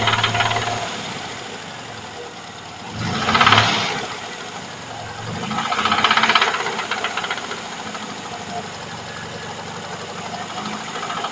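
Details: VAZ 2103 engine running with rough, fairly regular knock about four per second and louder swells; engine knock, source not pinned down.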